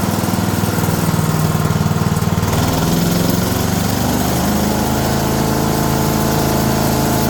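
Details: Older 5 hp Briggs & Stratton single on an abandoned chipper, revived with Deep Creep on the valves. Running with the air cleaner refitted after a restart on a little choke: a fast, even putter with no misses or knocks. Normal running.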